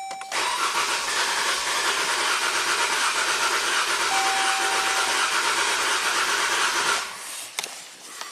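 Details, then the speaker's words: 2015 Jeep Grand Cherokee 3.6L Pentastar V6, 132k miles, cylinder 2 misfire (P0302) despite new coils, plugs and injectors; cranking with fuel pump fuse pulled: uneven rhythm, one beat lighter; compression loss on cylinder 2. "You can hear it. Compression loss. But let's uh let's hook up the scope and get a definitive uh you know proof that cylinder number two is uh compression is getting lost."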